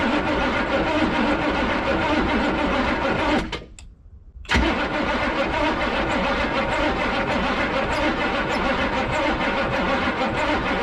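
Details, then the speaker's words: 1986 Chevy 1-ton dually, swapped 6.2L Detroit diesel, abandoned 22 years, driver-side injectors dry: starter churns steadily, pauses, cranks again without catching; cranking no-start, no fuel delivery. "this side is where we were having all the fuel issues so it is pretty wet over here we'll crank it over a few times and then see if we start getting any wetness over here"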